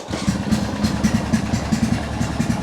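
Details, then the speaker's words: Old machine just revived, charging around 13 volts, oil leak suspected: fires quickly and settles into a steady even idle with regular low thump, exhaust sounds like an old boat; no knocks or misses, healthy. "It simply just starts completely amazing. So it's it's that easy and it it just works. It's I am so impressed by this machine. I kind of like the sounds, strangely enough. It actually sounds like an old boat or something."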